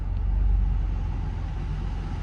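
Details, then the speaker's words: 2000 Nissan Skyline R34 GT, non-turbo, manual, low kilometers, warm restart after running a while on a hot day, check engine light still on: low, steady, even idle rumble, no rattles or ticks; normal warm idle. "It's been sitting and running for a while, so I'm just going to turn it off and turn it back on and see if it starts back up so you can get a cold, or it's a warm start. Yeah, fired back up."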